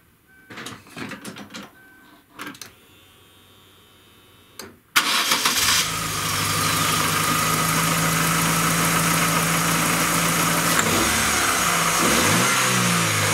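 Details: Chevrolet Aveo before the catalytic converter was replaced with a straight spacer, heard under the hood: after a few clicks the engine cranks, catches and settles to a steady even idle, then rises smoothly on the rev; sounds healthy.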